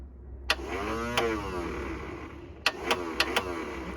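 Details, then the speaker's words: Classic Mini Scamp, unused for ages, inertia starter motor: short bursts of weak labouring starter whirr with clicks, turning slowly, never catching; flat battery, jump pack next. "well the start Motes aren't in pain when the battery's flat the battery's flat let's go get the jump pack"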